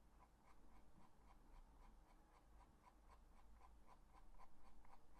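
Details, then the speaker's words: Asus Keris 2 Ace mouse after two months of use: quick, soft rustling scratches about four a second as the peeling, loose silicone grip rubs against the shell. "такі неприємне шуршання мене реально воно дратує Я не знаю що з цим робити мишку треба розбирати"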